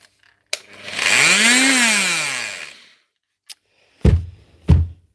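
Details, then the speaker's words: Bosch GSH 5 CE demolition hammer, about a 2024 machine, making a bad sound inside: motor whines up and coasts down with no hammer blows; suspected broken piston or conrod, but strip-down found stripped armature gear; fix is new armature, gear, service kit, grease. "That's not a piston or a Conrod. It's the same problem as before. Stripped out gears."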